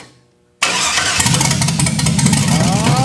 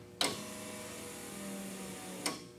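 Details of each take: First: 1963 Chevy II Nova, 5.3 V8 and 4L60E swap, first start-up: cranks, catches and settles into an uneven, loping idle with a stumble in the beat; the misfire came from cylinder #7 plug wire left disconnected. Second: 1963 Chevy Nova with 5.3 V8 and 4L60E swap, E2000 fuel pump, first start: a click, then about two seconds of faint steady hum and a second click, fuel pump priming normally.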